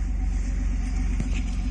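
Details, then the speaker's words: Nissan Skyline with the exhaust valve switched open so both pipes run: a deep, steady, even rumble with no rattles or puffs, a bit deeper than with one pipe; normal exhaust note. "there's both of them running now. Sounds a wee bit deeper."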